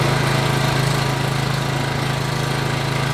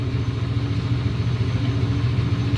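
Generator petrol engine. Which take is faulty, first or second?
second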